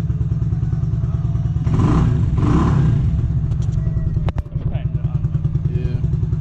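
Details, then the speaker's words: RPS Condor (Honda Grom clone), 150cc single-cylinder, first startup still on old oil: it putters at idle, revs sharply, holds briefly at the rev limiter, then drops back smoothly. Sounds healthy. "yeah that's the limiter so when I'm driving going to go past that sounds good"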